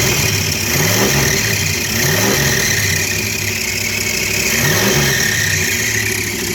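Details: 1964 Dodge Dart 270 V8, first start after about 30 years of storage (last tagged 1990): old V8 keeps running with a few throttle blips rising and falling over a hissy background.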